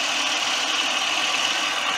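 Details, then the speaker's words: 1997 Buick Regal GS, recently given new plugs and wires, cleaned MAF and IAC, idling warm, running smooth: steady high-pitched whine over the idle from a worn idler pulley the owner plans to replace, nothing internal. Idler pulley noise. "going to get you hearing a little bit of noise that's a pulley I have to change it's one of the aisle er pulleys that's making that noise so it's nothing mechanical"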